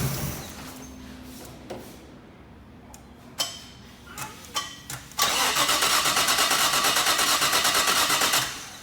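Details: Neglected Nissan R33 Skyline that had been sitting, cranked on a fully charged battery after fuel checks: clicks and brief whirs, then about three seconds of steady cranking near three pulses a second. Reluctant, slow to fire.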